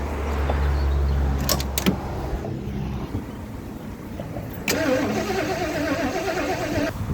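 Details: 1977 Lincoln Mark V abandoned project: steady starter cranking with an even chug that never fires, fuel feed diverted into a bucket; no-start from missing ignition spark, which later reappeared during cranking.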